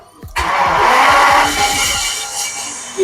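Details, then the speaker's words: BMW started after refitting the belt that had been thrown: starter cranks about 1.5 s, engine catches cleanly into steady idle, no errors, power steering and rear suspension pump working; normal start. "No errors. And I can feel the back going up a little bit. I've got power steering again."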